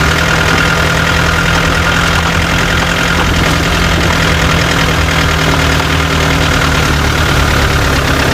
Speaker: लेकिन उस नॉइज़ को पहचानने की कोशिश कीजिए जो खटखट खटखट की हो रही है साथ में।